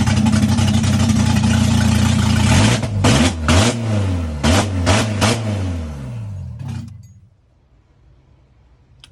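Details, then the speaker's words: Honda F20B engine from a 5th-gen Prelude, just swapped in with a turbo kit, first start: it catches and revs with an uneven, lumpy pulse before dying away; rough running on first start, cause not identified. "So she started a bit rough. But other than that, car sounds good. Really happy."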